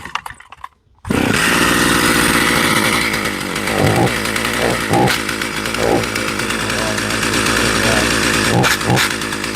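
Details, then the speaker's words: Stihl 028 AV Wood Boss chainsaw, grandfather's, sat unused for years, first run after fuel, good compression: fires after a second and settles into high buzzy two-stroke run with crisp throttle blips; runs fine, clutch drum/sprocket not fitted. "Learning chainsaw 101. But hey, it runs. Woohoo. Success."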